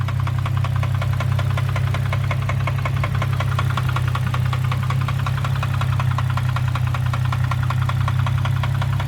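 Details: 2003 Infiniti G35 sedan at idle: loud deep knock about four per second, steady and heavy throughout; serious internal engine knocking, cause unknown, owner considering an engine swap.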